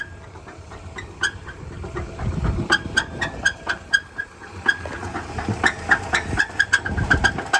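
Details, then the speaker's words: 1963 Chrysler with 166,000 miles on a long road trip, idling: sharp irregular clatter about four times a second, like marbles rattling inside; owner suspects something internal let go, possibly a spun bearing; serious internal engine knock, unconfirmed. "I am literally like 15 minutes from home, and I think something internal to the motor has let go. I'm not sure if I spun a bearing or what, but it doesn't sound good. I got some marbles rolling around in there."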